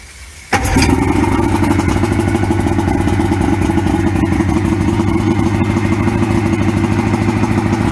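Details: 1994 Suzuki 115 oil-injected two-stroke outboard, water on, with more Sea Foam added to a full tank: it catches after a second and settles into a steady, even burble with no misses or knocks; running healthy.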